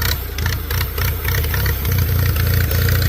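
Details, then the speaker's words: Small 10 horsepower tractor just started at auction, a little choke given: steady, deep, throaty, thunderous idle firing evenly while warming up; running fine. "Sounds thunderous. Almost sounds like an A. Yeah, a little 10 horsepower machine, but she'll push. Let her warm up a little bit."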